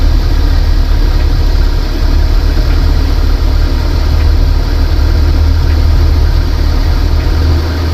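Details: Van idling after a water pump replacement during the coolant flush and bubble purge, engine warming up. Steady, even low idle with no knocks, misses or squeals; settled and healthy.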